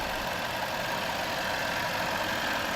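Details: Land Rover Range Rover after repair, engine started: steady even idle with no clicking; the earlier knock-like clicking came from the coupled fan blades striking a metal clamp on swapped-around water hoses, fixed by swapping the hoses back.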